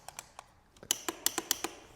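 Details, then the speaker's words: Used Honda ATV on the electric start with power connected and headlights working: only sharp, dry clicks at each press and the engine never cranks; the solenoid clicks, so the starter is at fault. "Solenoid's just doing that. Looks like it's not the solenoid, it's a starter."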